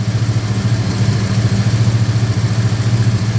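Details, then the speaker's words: Holden HQ with small-block Chevy V8, reported sluggish: deep idle with an uneven stumbling pulse and engine bouncing, very bad misfire with some dead cylinders; acceleration still good. "I don't know if you can hear that that's a uh a very bad misfire"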